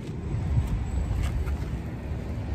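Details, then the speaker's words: Commercial rooftop HVAC unit not cooling, ear at the unit: supply blower steady even low rumble, no knocks or squeal, airflow confirmed at diffusers; blower running normally while cooling fault remains. "you can hear the blower and we had a little piece of tape on one of the diffusers Supply diffusers inside the finance office Department it's flapping around so we got airflow"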